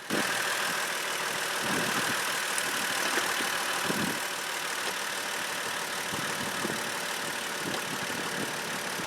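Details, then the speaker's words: 2003 Trailblazer I6 near 200K miles, which made a loud front-engine noise after a few minutes' running: idling with the drive belt removed, a steady, even hum with no noise. Belt-driven accessory suspected, possibly the water pump. "with the drive belt off I don't have the noise anymore so that could be anything that could be the water pump"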